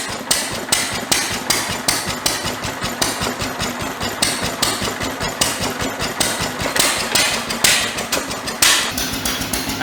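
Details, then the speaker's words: International Harvester LB 3–5 HP hit-and-miss engine driving a press, restarted easily after a spark plug change; sharp regular firing bangs about once a second with coasting gaps, no misfires. Owner suspects weak magneto needs a brand-new plug. Normal running. "twice now she started pretty easily I'm going say it was a plug"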